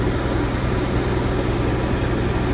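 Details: Onan Marquis Gold 5500 RV generator with a new fuel pump (previously stalling after running). Deep, even drone with a steady beat and no surging or misses. Normal running.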